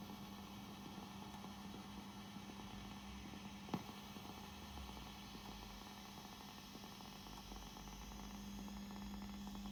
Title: Fender Princeton making strange hissing sound, can you help?!